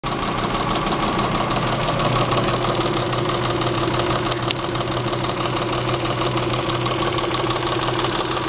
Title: Saab 3.0L bad lifter, rod knock